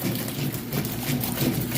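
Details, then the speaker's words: Kenmore washer in final test after 28-point inspection, agitation cycle: steady low churning and water swish in an even back-and-forth rhythm; strong agitation with no knocking or grinding. "Nice strong agitation. You can hear it sounds great."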